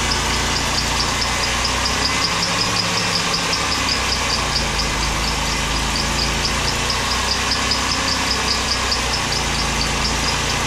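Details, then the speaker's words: Engine with clean, pink fluid and no water in it: rough low idle with sharp metallic tapping, not present at higher rpm; rod knock suspected from bad bearings, oil additive being tried. "that's pretty rough what's your expert opinion mr. Jerry um there might be knock there is not just a little bit yeah yeah sure a little bit"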